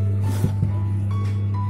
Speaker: Dan speaker aktif ini dalam keadaan rusak dengan kerusakan suara berdengung.